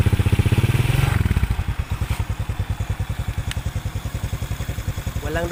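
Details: Suzuki Smash 115 motorcycle converted to a Racing R-150 (Raider 150) New Breed CDI, remote-start: it starts first try, revs briefly, then settles into a steady single-cylinder idle of about four beats a second. It runs cleanly.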